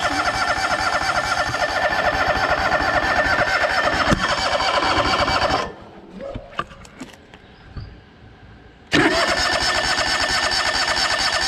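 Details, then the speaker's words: John Deere LX188 riding mower, first start of the season after new battery install; runs rough, cuts out to near silence, then fires again and settles to steady run; reluctant to start. "Got fuel. Try again, see what we got. Oh, there we go. Definitely didn't want to start after the second."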